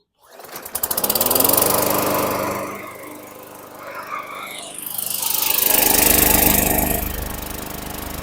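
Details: 2017 Bolens 500E 21-inch mower stored outside over winter, non-ethanol fuel, started earlier with a shot of carb cleaner: catches on its own within a second, steady even single-cylinder drone, no misses; normal.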